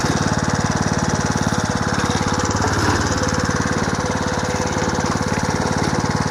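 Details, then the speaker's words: Home-built 1/3 scale mini hay baler as stationary hay press, small engine idled down: steady fast chug about three beats a second, plunger cycling evenly; baler running normally. "So what I'm going to do is start this up and idle it down, so I hope you can hear me."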